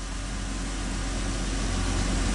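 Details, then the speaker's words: 2002 Chrysler Sebring 2.7 V6 idling after alternator replacement: smooth, even low idle hum with no earlier whine, no battery light, lights stable, voltage good; normal idle, charging system healthy. "And in my previous videos, you would hear that weird whining sound, which I don't hear. Last but not least, my voltage is good."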